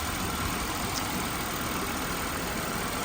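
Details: 2008 Buick Lucerne 3.8 V6 idling after repair of cylinder 1 and 4 misfires: steady even hum with no stumbles or skips, repair verified.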